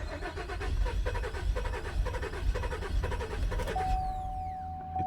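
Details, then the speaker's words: 2017 Buick Enclave that ran briefly after a boat launch and then quit, check engine light on: cranks with uneven, sputtering firing but no start, later traced to considerable water in the fuel tank, likely entering through the canister vent. "It's firing like it's got a fuel problem."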